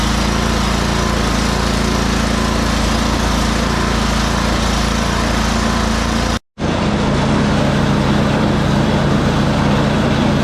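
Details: Free salvaged snow blower, oil checked and tires filled, plugged-in electric start after priming; small single-cylinder engine holds steady even drone at constant speed, no misses or knocks; normal running.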